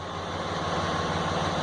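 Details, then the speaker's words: Dodge Cummins diesel being diagnosed for P0203 (cylinder 3 injector circuit open) and P2146 (injector group supply voltage circuit open): steady, even idle with no misses or knocks; currently running fine. "as you can hear it's running fine now sounds fine um"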